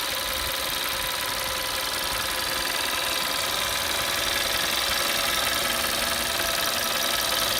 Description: Audi A3 2011 8P | 1.4 tfsi strange engine noise when idle and warm